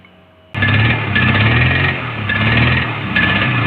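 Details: Honda CBR150R with its ECU refitted after throttle body, injector filter and air filter cleaning: engine catches, then revs surge and sag unevenly, never settling into clean idle, and dies without throttle; stumbling low-rev running blamed on a faulty ECU.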